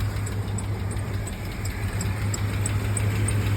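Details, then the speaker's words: Rough idle on a Chevy Blazer with a suspected bad alternator, tested by pulling the battery cable while running: low, uneven idle that sags and hunts as if about to stall; alternator confirmed bad. "also doesn't help that it just sounds like it wants to die."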